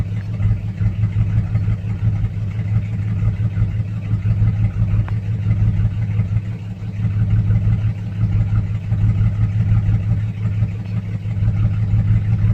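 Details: 2006 Chevrolet Silverado 4.3 V6 with P0305 and P0200 codes, check engine light blinking. Lumpy idle pulsing about three beats a second with uneven sags in loudness as one cylinder misses. Failed injector, harness open or ECM signal suspected, unconfirmed.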